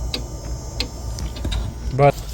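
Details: A Chinese diesel heater replacing the original Webasto Air Top Evo 2000 in a Volvo FH4 Euro6 truck, first run: its dosing pump ticks sharply about every two-thirds of a second while priming fuel, which is normal.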